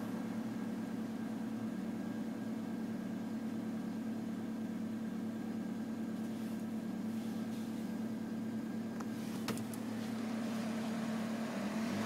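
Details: 1993 Toyota Corolla, cold engine: steady low buzzing drone over a smooth idle, vibration sound only when cold; source not identified.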